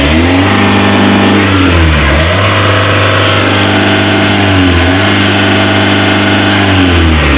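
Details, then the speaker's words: Mitsubishi L300 Euro 4 diesel, about 4,000 km, weak on hills: under full throttle revs climb quickly then hold flat near 3000 rpm; misadjusted clutch pedal leaves the clutch switch limiting rpm, fix is shimming the clutch switch. "lihat ketika saya ngegas sambil ngelepas kopling rpm nya bertambah apa tidak ya ini saya gas mentok oke teman-teman ya jadi di situ tadi kendalanya di switch koplingnya"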